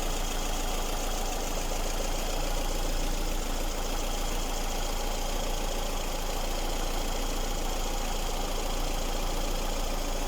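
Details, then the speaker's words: Lada Kalina engine fully warm (about 90–100 °C) with all covers refitted, after chasing a whistle that began about 300 km after a timing belt and roller change: even, steady low idle with no whistle or whine; sounds normal. "все вроде собрал все кожухи точно ничего не шумит"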